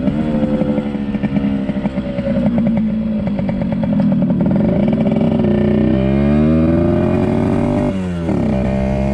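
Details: 1974 Yamaha RD60 two-stroke on first ride after 8+ years unused: buzzy note rises and falls with throttle but flattens early, only about 5000 rpm versus expected 10–11,000; down on top-end power, carburetor suspected, carb cleaning planned.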